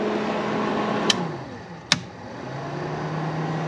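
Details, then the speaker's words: 1982 Fiat 124 Spider heater blower motor, previously dead, powered with jumpered ground: steady motor hum, two sharp switch clicks, pitch dropping as switched to low speed. Heater blower running normally. "hey it works you can feel it you're not going to see anything but it works and then low"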